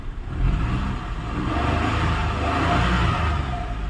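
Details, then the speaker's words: Maruti Suzuki Celerio that cranked but wouldn't start, started on CNG after relay problem bypassed: small engine catches and runs smoothly with a few free revs rising and settling, no misses or knocks; normal running. "यहां पर गाड़ी हमारी start हो गई है देख सकते हो वापस से दिखाऊंगा सड किया है और गाड़ी हमारी स्टार्ट हो गई"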